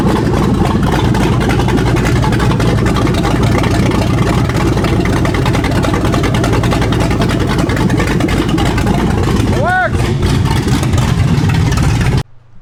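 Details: 2015 Ford Mustang S550 with 7.3 Godzilla V8 swap, started to check everything works: loud, deep V8 running steady and even, no knocks or misses, cutting off cleanly; normal start and idle.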